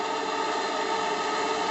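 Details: JLS 13-2 live-steam engine of 6.8 cc on a steam test at under 500 g working pressure, running better anticlockwise: steady, even hiss with no knocking, clatter or leaks; smooth normal running.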